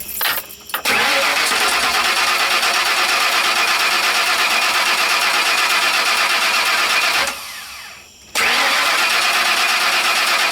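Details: Ford E350 bucket van that previously cranked without starting: it cranks briefly, then catches into a loud steady run with a short dip before picking back up, so the engine now starts and keeps running.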